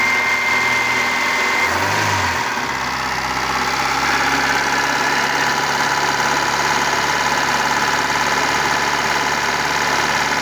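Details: 1997 Kia engine that had not run for six months, started after replacing a rotten ignition coil wire: brief stumble, then a smooth, even idle with no misses or knocks.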